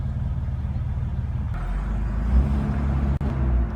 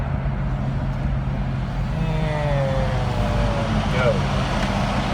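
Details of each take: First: Car at a stop sign, in gear rather than park: low, lumpy rough idle with an uneven throb and a sudden dip near stalling. It persists despite a cleaned throttle body, new idle air control valve, six new spark plugs and a new wire set. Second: Car idling at a stop light in traffic after throttle body cleaning, new idle air control valve, six spark plugs, wires and an idle set-screw adjustment: a steady, even low rumble with no hunting or stumble; rough idle fixed.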